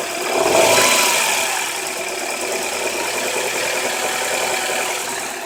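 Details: Honda H22 petrol engine running: rapping knock under the hiss; bad rod bearings knocking.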